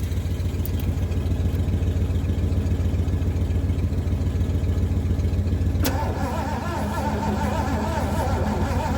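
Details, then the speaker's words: Abandoned Mercury, sat 13 years, boosted from a truck after reconnecting ignition module wiring; starter churns steadily at about three and a half turns a second, never firing; crank no start. "Still nothing. I mean, this could be bad too."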